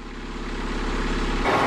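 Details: Boat inboard at dock test after raw water pump rebuild and thrust bearing set screws torqued, no thrust bearing movement; even low thrum building slightly near end, no knock or grinding; runs clean and healthy.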